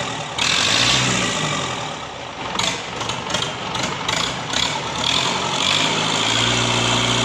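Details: Simpson S4 diesel engine after overhaul, test run: catches and settles into a steady, even clatter with a few throttle blips; normal start and idle, running smoothly after the rebuild.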